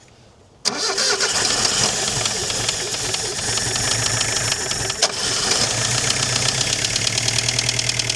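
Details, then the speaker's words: Chrysler Galant 1600 wagon engine, cold and not yet warm after sitting 30 years: rough idle with steady metallic tapping over the exhaust, like an old diesel. Not thought to be a conrod knock; pre-ignition noise suspected, not confirmed. "Doesn't [snorts] sound like a a con a conrod knock or anything. Sounds like a pre-ignition noise or a from here anyway."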